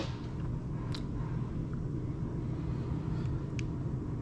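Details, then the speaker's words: GM late-model HEI distributor system (87-95 GM trucks/marine), key turned on: low steady hum runs evenly through, no surging or cutting out; fuel pump priming normally. "oh and what i should do i'm going to turn the key on so you hear the fuel pump run"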